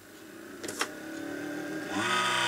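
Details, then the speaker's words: Mini dehumidifier: small fan spins up to a steady rising whirr with a raspy, buzzy edge; suspected dodgy, dry fan bearing, possibly clogged with hair and dust; to be cleaned and oiled. "we go that's just a dodgy bearing in that fan I think so I'm gonna give it an oiler"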